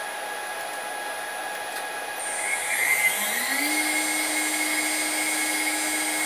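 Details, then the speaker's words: New spindle with VFD on upgraded 6040 CNC climbing from 20,000 to 24,000 rpm; clean tone holding steady, no rattle or grinding: normal spindle run-up. "so there's 24,000 perfectly quiet I mean it's making noise but that's a lot better than the other one"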